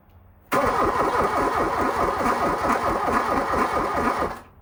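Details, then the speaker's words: 1987 VW Scirocco 16V, sitting over 20 years: the starter churns steadily for about four seconds without firing, cranking too slowly; slow cranking, no start, cause unconfirmed. "I mean it's got a a little bit more but it's just doesn't seem like it's got enough uh to uh get that spinning decent"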